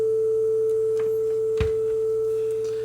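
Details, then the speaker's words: Nakamichi DR3 cassette deck, repaired after a no-playback fault, playing a calibration tape: clean steady test tone around 440, slightly sharp. The tape runs a bit fast; speed is trimmed via a hole on the back of the motor. "speed Wise It's very close a little bit Sharp but that's okay because we can adjust it on the back"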